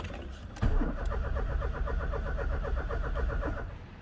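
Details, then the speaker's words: Old car cranked with a battery, no fuel filler neck; starter spins briskly, even beat of about six or seven pulses a second, decent even compression; won't run without easy-start, fuel supply problem suspected. "well the starter motor works and it sounds like decent compression there"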